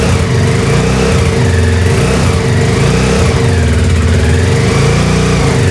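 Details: 2007 Honda CBR125R, revived after sitting outside two years, running after a missing seal was fitted and fuel pump trouble addressed: small single revs up and down, then steady, even running with no misses or knocks; healthy.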